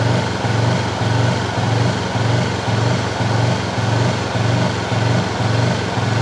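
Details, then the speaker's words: Honda CB fuel-injected motorcycle that is not cured after five services: at light steady throttle, revs swell and sag about twice a second instead of holding steady, with surging and misfiring. "Nah sekarang alasannya sudah ketemu apa kalau digas di RPM ini tadi maka dia naik turun kan itu toh ini penyakitnya sekarang alasannya yang kita cari"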